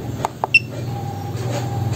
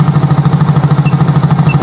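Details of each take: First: Yamaha Soul GT fuel-injected scooter (Mio J engine), warm at 80°C: catches, idles unevenly about four beats a second for seven seconds, then dies; stalling traced by scanner to faulty MAP/barometric sensor reading 85 kPa instead of 95-103. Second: Soul GT fuel-injected scooter, warm at 80 °C, after MAP sensor fault fixed: even, steady single-cylinder idle, no stumbling or stalling; intake about 43-44 kPa, 2 ms injection, idle control 20%.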